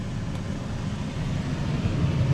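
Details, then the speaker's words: Camper air conditioner after repair (unit had only clicked and moved no air): blower on low fan gives a smooth, steady low drone with no squeal, grinding or rattle, though not audibly slower. Working normally. "I don't know. Didn't sound any lower. But it worked."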